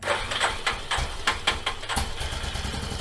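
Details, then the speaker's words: 1989 Yamaha Moto 4 YFM350ERW single-cylinder first start after head repair, with the carburetor float suspected sticking and freed by tapping: a few quick cranks with the choke on, fires in about two seconds, choke off, and settles to a steady normal idle. "Oh baby! Started right up! I got the choke off. I'm just gonna let it idle for a little bit."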